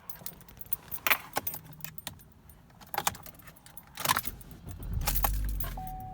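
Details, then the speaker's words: Car that would not start right after refueling, after a new part was installed, started at the gas station: a short crank that catches promptly and settles into a steady idle. The check engine light is for a pending thermostat. "buddy yeah buddy she's back well yeah buddy ignore the check engine light that's for the thermostat I gotta put that in there yeah perfect"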